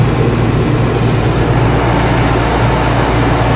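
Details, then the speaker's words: Whynter ARC-14SH 14,000 BTU portable air conditioner, cooling mode with the compressor on, at a lower fan speed. Noise barely differs between the three fan speeds. Steady low hum and airy rush, no rattles or buzzing. Normal running. "there's a cooling mold is a difference in noise level between the three fan speeds is three not very noticeable when the compressor is on"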